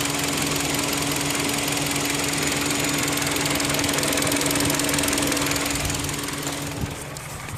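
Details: 2010 Kia Rondo engine: steady fast ticking, about three to four per second, over the running engine; persistent top-end tick, cause not pinned down, and the owner believes the engine will soon fail.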